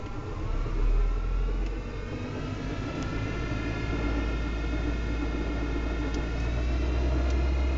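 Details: Audi 80 B4 2.0 90 hp with CGT short-ratio gearbox, driving: steady rumble with a whining hum rising with road speed in top gear; damaged gearbox hums and knocks in 2nd–5th, metallic knocks when coasting, cause unknown.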